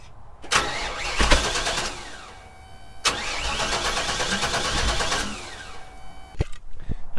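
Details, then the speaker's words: 22-year-old 1998 GMC K3500 with 454 (7.4L) petrol engine, dead after a loud bang and sputtering on the freeway: two long, even cranking bursts, spins freely but never fires; broken distributor rotor. "not even trying to start so i'm gonna go with the ignition first i guess"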